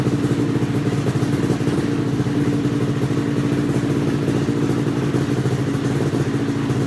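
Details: XC 700 two-stroke revived: steady crackling idle, even but sitting a touch fast and smoky; runs clean otherwise, cables to be adjusted; idle slightly high.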